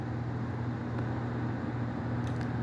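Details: Split AC indoor blower (BLDC/DC motor) after blower motor change and connector reconnection: steady, even low hum with no ticking, rubbing or wobble; indoor fan running smooth and healthy.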